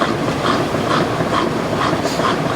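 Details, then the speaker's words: 2002 Kelvinator K605 washer, regular cycle, large load, spinning at 850 RPM: even motor hum with soft swish about twice a second, no thumping or scraping; healthy, well-balanced spin. "so I think for the speed it's going it's actually really nice because for those of you who don't know this machine does an 850 RPM spin speed"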